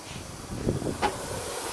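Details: Ford 6.0 diesel Excursion, engine off, intake charge system pressurized to 25 psi with shop air: steady airy hiss with a brief sharper spurt; boost leak from plastic charge-air cooler tube.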